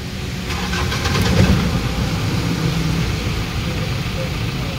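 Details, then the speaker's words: Mahindra Bolero BS4 diesel pickup after cleaning the clogged in-tank fuel pump strainer: cranks, catches and settles into an even idle with the earlier pump drone gone; pump now quiet and normal. "বন্ধুসকল, এতিয়া টেংকি মটৰ sound নাই, এতিয়া sound নাই, sound lace হৈ গ'ল।"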